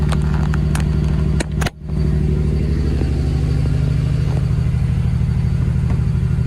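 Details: Ford Barra engine with 186,000 on it, not cammed, before intake gasket replacement: fast uneven idle near 2000 rpm with a lumpy exhaust pulse, idle too high and rough; cause suspected, not confirmed.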